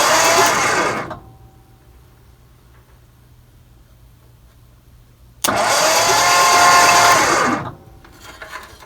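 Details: 1963 Mercury Monterey, unstarted since 1976-77, ignition check with points, condenser and coil: two starter cranking bursts of about one and two seconds that never catch; no spark seen; cranking no-start.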